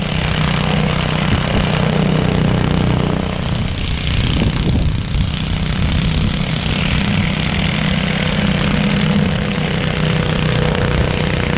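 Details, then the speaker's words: After ultrasonic cleaning of its varnished carburettor, a curb-find Honda HS520 single-stage 4-stroke snowblower holds a steady, even drone while throwing snow, with no misses, surging or knocks. Normal running under load after the repair. "This thing works great. Clean, bro. Snow really well, so I know that this is a good machine."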